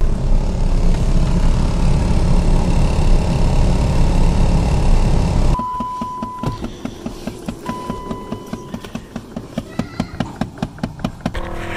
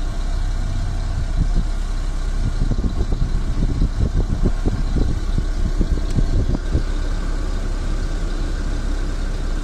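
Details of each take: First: صوت مزعج بيصدر من طابلوه السيارة عند تشغيل المكيف. الصوت ده غالبا بيظهر لما تشغل السرعة التانية أو التالتة أو الرابعة من مروحة المكيف، وفي بعض الأحيان التانية بيظهر لما تمشي على طرق مكسرة ومطبات. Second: Car dashboard AC blower motor tested on every speed with engine idling: smooth air rush stepping up with each speed, no whine, hum or grinding; blower bearings judged fine.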